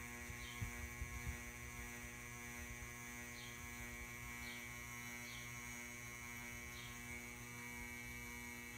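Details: Ceiling fan makes a loud, steady mains-pitched hum with a bright buzzing edge, likely from the fan motor. The owner assumes the cause is electrical but doesn't know why.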